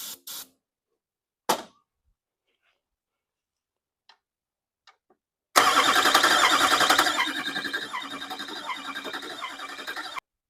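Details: California LB7 Duramax turning over with starter jumped directly, ether sprayed into disconnected turbo instead of intake: fast, even chugging at about three and a half beats a second fades without catching; crank no start.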